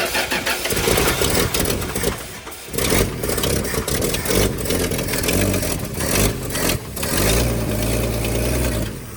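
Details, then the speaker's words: Long-abandoned 1975 Dodge pickup on a 10-year-old battery, starter jumped at its wires, battery smoking: repeated bursts of uneven cranking with pauses, then a longer steady churn without catching; engine cranking. "No freaking way. That sounded less terrible than I expected."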